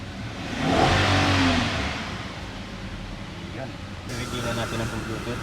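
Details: Nissan Patrol Platinum with P0090 fuel pump and P0087 low fuel pressure codes, lacking power, after the repair: engine picks up cleanly, revs climb smoothly and settle without stumbling or misfire; normal revving.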